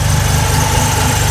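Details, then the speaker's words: Mazda RX-7 rotary, after header welded back together, exhaust and cooling fan: smooth even burble at steady fast idle of about 1500 rpm, no misses or knocks; starts right up and runs healthy. "they painted over it started right up and eternity did be a little bit you have a solid 1500 rpm"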